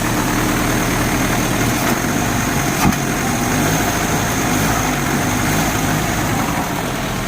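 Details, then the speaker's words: Euro-spec Mercedes 190E 2.0 five-speed manual, cold start on a chilly day, first start of day: even steady idle, smooth low hum, no knocks or ticks, one throttle blip; started right up, healthy. "you guys can see that was the complete cold start that is the first start of today and it's a little chilly out today so it's really good to see that it started right up"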